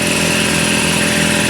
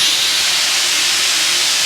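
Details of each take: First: Garage air compressor on a newly wired 30 amp outlet and sub panel, first test run after installing a shop air system: steady, even motor hum at constant pitch, no knocks or rattles; starts and runs smoothly, normal. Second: New garage shop air system, compressor already filled, first test of the lines: a loud, steady high hiss of air for over four seconds, then a sharp cutoff; an outlet valve had been left open.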